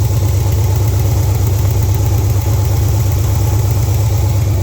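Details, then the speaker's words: Rebuilt SBC 350 on a run stand, warming up: even idle with a light quick tick over the low thrum, tapping growing louder; valve covers off revealed loose rocker arms on both sides. "that tapping it's getting a little louder let's shut it down get it inside I'm gonna pull the valve covers off see what we see all right I got it inside and got the valve cover off I've already done that side I had one rocker arm loose over there"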